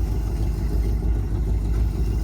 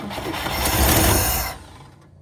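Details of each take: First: 1954 Cadillac V8, 12-volt, borrowed battery, fluids unchecked: low, even burble at steady idle with no knocks, ticks or misses; quieter and better than the 1959; runs normally. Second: 1954 Cadillac, sat about three years, gas poured in, 12 V battery: starter churns steadily about six seconds with no catch; owner suspects flooding or no spark from shot plug wires. Cranks but will not start.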